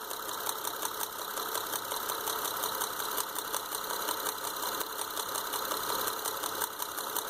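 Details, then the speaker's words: 2005 Honda Odyssey at a rough, uneven idle with a sharp ticking puff every cycle: the front middle spark plug has blown out of the head, causing the misfire; engine needs replacing. "Honda Odyssey running rough. So here's what we found on the Honda Odyssey, front middle spark plug. This one's going to need an engine. The spark plug and everything just pulled right out."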